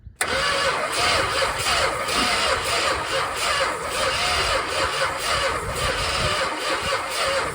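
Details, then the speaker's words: 1970 Plymouth Roadrunner 440 six-barrel V8, parked since 1991, cranked on the starter after sitting: lopsided beat with some strokes lighter than others, never speeding up, top-end oil spraying; compression bleeding on a couple of cylinders, rings suspected. "that doesn't sound great there's our top end oil and it's making a horrible mess"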